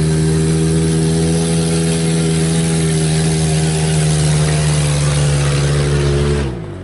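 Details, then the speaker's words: 1996 GEO Tracker with low power, driven with the O2 sensor removed: loud, steady, rough drone with a raw raspy edge from exhaust escaping the open sensor port; maybe slightly more power, maybe just noise; catalytic converter apparently not the cause, fuel suspected. "it may be run a little bit better and have a little bit more power but then again maybe that's just because it's making more noise"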